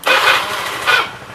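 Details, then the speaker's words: Older Honda Scoopy scooter after adding an extra ground wire to the starter circuit: quick clean starter whirr catching almost instantly, then a second short burst; the starter engages firmly and feels lighter, intermittent start fixed. "jadi lebih enteng Mas Bro"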